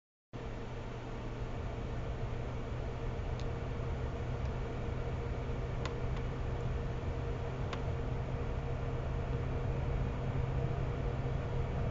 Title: Buzzing sound - PSU or GPU